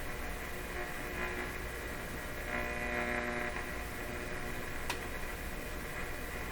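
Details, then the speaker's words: Loewe Opta Bella Luxus 5711W AM/FM/SW radio at first power-up inspection, tuned on shortwave. A strong, steady low mains-type hum comes in with a station under faint hiss and crackle; the cause is not yet found. "going lower quite a strong hum has come in okay during the tune in a station hum comes with it that's an important observation"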